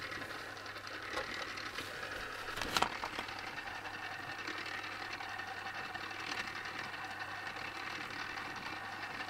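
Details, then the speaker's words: Tamiya Turntable Display (black) on first run after assembly, before greasing: a light, fast, steady mechanical rattle over the small motor's whir, likely dry or loose drive gears; owner unsure whether grease will quiet it. "Though, can you hear the rattle sound? Yeah, it's quite present. I'm not sure how will that change after I apply the grease on, but so far it might be a little noisy cricket."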